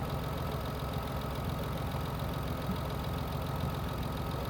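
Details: Mitsubishi Endeavor idling after replacing a power steering pump that had been noisy and locking up, fluid slightly overfilled: steady smooth low rumble, no whine or groan; new pump running quietly.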